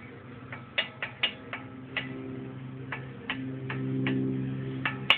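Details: Ford Mustang brakes give sharp uneven ticks, two or three a second, over a low hum; brake ticking noise of unknown cause.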